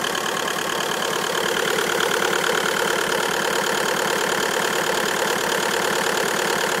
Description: Bruit bizarre ???